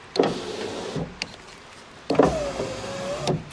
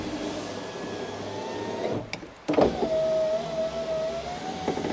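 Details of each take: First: Ford Ka (first generation) power window: motor runs twice with a dragging groan and strained, wavering tone as the glass moves; window noisy going down and sometimes won't go up; dry, barely greased regulator cable binding in its guide suspected. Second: Ford Ka (first generation) power window after lubricating the runners with silicone and greasing the rail: click, then smooth steady motor whine with no clunking through travel; the former loud clack is gone, window works normally.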